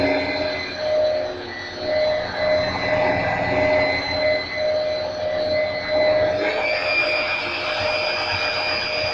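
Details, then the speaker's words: Hoover WindTunnel V2 upright vacuum U8132-900, 12 amp two-motor system, after the brushrolls were cleaned and greased, as the brush roller is activated: steady motor whine stepping up in pitch, no scraping or rattling. Normal running. "I'll turn it on first. And I'll activate the brushes."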